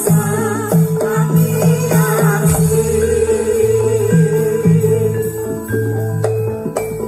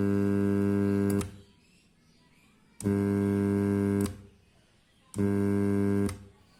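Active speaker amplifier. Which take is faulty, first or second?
second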